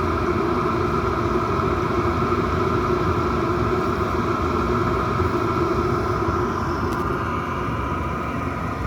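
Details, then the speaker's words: Chinese diesel air heater running normally, warmed up and roasting hot after restart following four to five months unused; steady whooshing roar with even rumble underneath, no surging or sputtering. "all the best yes that's roasted now that is"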